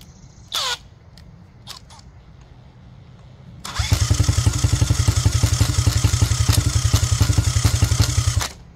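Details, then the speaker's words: 1985 Honda XR80R, not run for a long time, cranked with a Milwaukee M12 drill via the side cover: rapid even cranking pulses, about three to four a second for five seconds; turns over but never fires, later starts with a squirt of fuel. "I can hear it trying to start like trying like it's trying"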